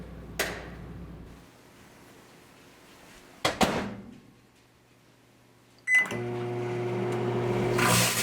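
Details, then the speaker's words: A Pop-Tart metal wrapper in a demonstration microwave with the interior light switched off. The door clunks, the oven hum starts, then sharp crackling hiss builds as sparks arc from the foil; arcing from metal in the microwave. "Let's start with something you've probably been warned not to do, putting something metal in the microwave. In this case, it's a Pop-Tart wrapper."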